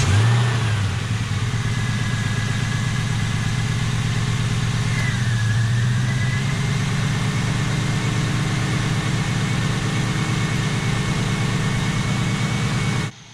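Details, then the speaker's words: 1999-2004 Mustang GT V8 just after a spark plug thread repair with insert and Loctite, new Motorcraft plugs: steady, even idle with smooth low burble, no misses, rough running or nasty noises; repair judged done correctly. "sounds like we've got the repair done correctly uh doesn't seem to be running rough doesn't seem to have any misses in it at the moment"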